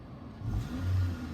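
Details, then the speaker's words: 2014 Toyota Corolla LE, 1.8 2ZR-FE, throttle response after a wiring repair (P2118); the note rises smoothly and eases back with no stumble. It hangs slightly high, which service data reportedly says settles after 10–15 minutes of stop-and-go driving. "It does hang a little bit high, but I think service data said like 10 or 15 minutes of driving, stop and go driving, for the idle to drop back down."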